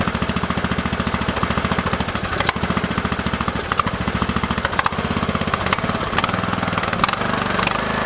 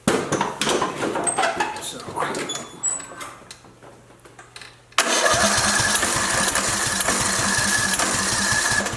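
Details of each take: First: Craftsman LT2000 with Briggs & Stratton 19.5 OHV engine, repaired with new pushrods, guide plate and rocker cover gasket after dying mid-mow: single cylinder chugging with even steady beat, no misses, knocks or clatter; normal idle. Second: Craftsman LT2000 with Briggs & Stratton 19.5 OHV engine that died mid-mowing: starter churns steadily about four turns a second with weak uneven firing, never catches; fuel thought okay, broken push rod killing compression.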